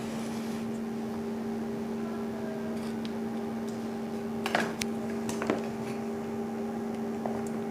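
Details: Hand grinder after repair for vibration and loose contact, capacitor replaced: steady high whine held at constant pitch with only a few handling knocks; motor runs evenly, normal running.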